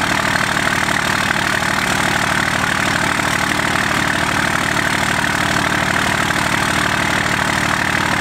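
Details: First-gen Cummins diesel truck idling just after its first start in three months: steady diesel clatter at an even idle of roughly three beats a second, no misses or knocks; normal idle.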